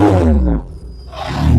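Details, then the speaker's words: First start on rusEFI (uaEFI, uaDash) engine management, cold: revs sag and go nearly quiet on throttle, then pick back up; owner says acceleration enrichment needs tuning, fine once warm; wideband reading correct; cold engine hesitation on throttle. "Yeah, so once it's warm, it comes right."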